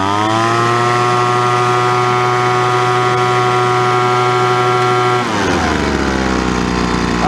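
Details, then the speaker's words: Poulan Pro 25cc 210 mph gas leaf blower (BVM210VS/SM210VS) after a carburetor replacement, running in snowy weather. Strong, steady full-throttle scream, then a clean drop back toward idle with no stumble; the top and bottom end sound good, so no adjustment is needed. "Top end sounds good, bottom end sounds good, so I'm not going to do any adjustments."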